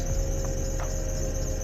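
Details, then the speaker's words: 2004 Mercedes-Benz C230 Sport Kompressor, Copart car, started on jumper cables: it stumbles on start-up, then a thin, steady, high squeal rides over a low idle rumble, most likely a slipping drive belt. "oh Lord got a belts wheel that's neighbor's gonna love that"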